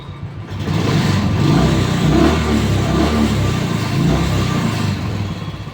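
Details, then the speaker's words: Royal Enfield Classic after fixing morning starting problem by plug cleaning and mixture screw setting: full-throttle blip rises and falls cleanly without popping or misfiring; normal free revving, problem judged solved. "हम तो यह problem यहां पर मेरे ख्याल से solve हो गई फिर भी हम रेस देंगे"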